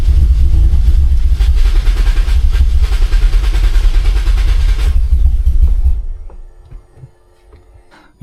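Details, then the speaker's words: Turbo Toyota Corolla, fuel pump audibly primed: a heavy low rumble for about six seconds sags and dies as the engine catches briefly, then stalls. It won't stay running, possibly from no fuel, and there is no check engine light. "Alright, you can definitely hear the fuel pump, and it wants to start. There's probably like no fuel at all. So dang, it just doesn't want to stay running."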